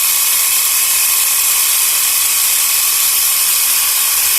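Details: Portable 12 V piston tyre pump near 3 bar (about 2.8), cylinder getting hot, stopped soon for fear of burning the motor; fast, even high-pitched rattle, unchanged — normal running under load.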